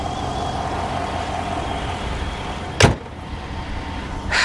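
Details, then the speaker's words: 2016 GMC Denali with the 6.2 V8 at idle: a thin, constant high whistle with a soft hiss from one side of the engine over a steady idle; suspected vacuum leak, not confirmed. "I hear a slight vacuum leak actually do you hear that it's on the other side yeah it's on this side it's like hissing whistling"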